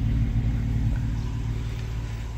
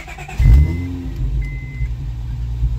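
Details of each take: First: Honda V6 after replacing all the spark plugs, which fixed misfires that had set codes: smooth, steady idle hum with no more popping or skipped beats. The owner says it ran rich from worn O2 sensors. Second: Honda V6 starting and idling lumpy with uneven exhaust pulses: a misfire that also sets codes when driving; owner assumes fouled spark plugs and plans OEM Honda plugs, possibly checking coils.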